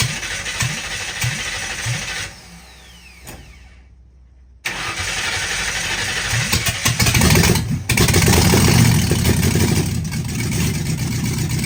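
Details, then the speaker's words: 1960 Ford F100 shop truck V8 with open headers, first start in years on a temporary fuel supply: short crank, brief pause, then it fires and holds a loud, even rumble under its own power, sounding healthy. "All [Music] right, here you have it. She starts under her own power. Sounds really healthy."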